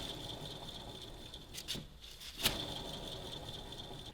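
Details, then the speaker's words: Front wheel bearing hub from a 2000 BMW E46 328i spun by hand: steady gritty whirring with thin high whine and sharp clicks; bearing worn out, louder with speed when driving, being replaced. "the main reason why we are doing this is because they are shot and you can easily distinguish it because when you spin them they make noises"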